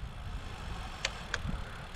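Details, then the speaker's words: Cube Agree C:62 Race road bike: two sharp dry clicks about a third of a second apart on hard pedal power after braking, varying in loudness; derailleur hanger shifting in its frame seat. "Mocno chwytam za gierkę No i jedno pyknięcie było ale ono jest tak jak mówię na razie nieśmiałe"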